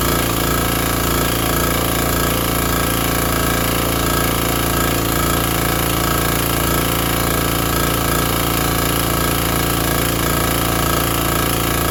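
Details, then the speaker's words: Briggs & Stratton 5 hp vintage generator running evenly at steady speed with loud constant chatter after starting once the on switch was set correctly; it powered a small shop vacuum with no problem. "I mean, that thing fired right up. ran the little shop vacuum. No problem."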